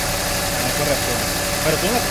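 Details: Jeep Grand Cherokee after a no-crank, no-start diagnosis: even, steady idle under a hiss of background noise, no misses or knocks; engine running normally.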